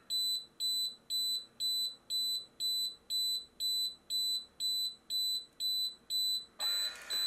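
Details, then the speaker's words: Xtool laser fire safety kit, prolonged flame: shrill even beep twice a second ending in sudden loud hiss as unit cuts power and discharges CO2, first of two cycles about 20 s apart. "Et là, elle coupe l'alimentation et on entend le mécanisme qui libère du CO2."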